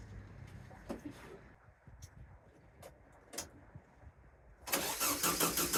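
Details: VW sandrail dune buggy, unused for 18 months, turns over well with fast steady starter cranking but never fires. No fuel is pumping through, so the owner cracks the fuel pump inlet and adds WD-40 before retrying.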